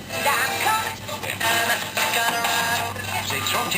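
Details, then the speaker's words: Zenith Trans-Oceanic portable radio during repair; FM music comes through clean and steady with no crackle, hum or dropouts; receiving FM properly, considered fixed for now. "so as far as I'm concerned right now for at least right now it's it's it's fixed"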